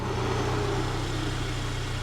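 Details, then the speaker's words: Saab 9-3 Turbo that had low oil pressure and tapping, after about 30 minutes running Liqui Moly 2037 engine flush. Mic is close to the engine. Smooth, quiet, even idle with a steady hum and no ticking or tapping: normal idle. "She's running, guys. She's running, and she's running well. Very quiet."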